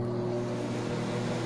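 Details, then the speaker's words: Philco PMS24 microwave after repair (previously very loud and not heating), running 30 seconds with water: steady even low hum without rattles or buzzing; normal operation, loud noise gone and water heats. "silencioso né acabou aquele barulhão que ele tinha né No começo do vídeoo aí que vocês viram"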